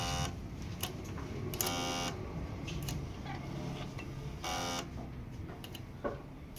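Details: Generac 0E6221 1500 W generator, unused one to two years, gas in tank and strong battery: flat electrical buzz at each start-button press, starter visibly moves but engine never cranks; cause unknown.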